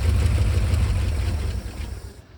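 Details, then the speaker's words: 1955 Chevy 6400 2-ton dump truck revival: the engine catches and rumbles briefly, then fades within two seconds and won't hold an idle. Owner says it needs a fuel pump and probably timing adjustment. "She runs, doesn't sustain yet. It's gonna need a fuel pump, probably some timing adjustment, probably some other stuff too, but we do know that it runs."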